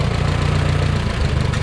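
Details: 1969 Minneapolis Moline U302 tractor engine, just rebuilt with new piston rings after being stuck, idling on first runs: steady, even low thump with a regular firing beat, no knocks or rattles; oil pressure confirmed at the valve, engine sounds good. Normal idle.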